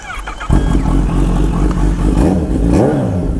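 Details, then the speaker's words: Derestricted 2020 Kawasaki Z H2 (flashed, 227 RWHP), not yet warmed up, blipped before a ride: deep steady drone rising and falling cleanly, crisp throttle response and a rowdy idle; normal revving. "oh yeah she sounds much better throttle's response is super crisp now"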